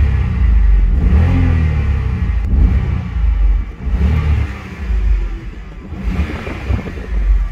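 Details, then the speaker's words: 2006 BMW 325i (E90) N52 engine after fitting Condor 70a polyurethane transmission mounts: deep booming purr that swells with each rev, like a loud exhaust; stiff mounts carry engine vibration into the chassis, increasing cabin resonance. "but it makes the n52 sound like a muscle car because it's just the resonance through the chassis"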